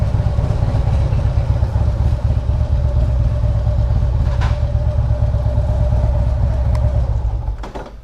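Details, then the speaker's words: 2016 Harley Limited V-twin lugging at low revs, around second gear: a loose metallic ratcheting rattle over the thump that fades off throttle, typical compensator rattle, considered normal on these bikes. "The only thing weird is that typical compensator rattle. That's normal. Yeah, absolutely normal."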